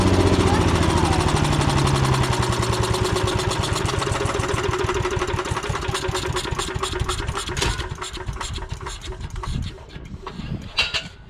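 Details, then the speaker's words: Old non-starting woodchipper engine, rusty tank with stale varnished gas, carburetor suspected: primed by pouring gas into the carburetor, it fires and thumps roughly about four beats a second, then slows and fades; runs only while primed, fuel delivery suspected. "all right so I'm gonna get a little gas I'm gonna pour a little gas down in this carburetor"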